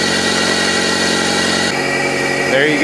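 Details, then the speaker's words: 1997 Toyota Corolla that only clicked due to worn starter plunger and contacts, cranked via jumper wire from battery to starter: turns over, catches and settles into a steady even run, no grinding or misfire. "finally success I'll keep this same run for a little while"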